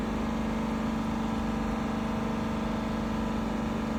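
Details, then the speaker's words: 2021 Dodge Durango R/T 5.7 HEMI V8 after spark plug and coil replacement, held at 3000 rpm then released: steady, even hum with no misses, ticks, surging or abnormal noises; normal engine, no misfire. "In this case, the engine sounds good. I just released uh released uh the accelerator. Still no uh no abnormal noises."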